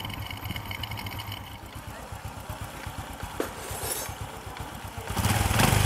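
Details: Single-cylinder Honda Future scooter with persistent exhaust smoke, after the clutch was fixed: idle pulsing about four times a second, then rising revs, no groan or clacking; the earlier clutch rattle is gone, clutch operating normally.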